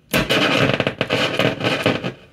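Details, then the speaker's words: 1960 Grundig Majestic SO191U1 tube stereo console, brought up slowly toward 100 volts: loud bursts of scratchy crackle and static as the knobs are turned. The controls are filthy. "Yeah, these controls are filthy."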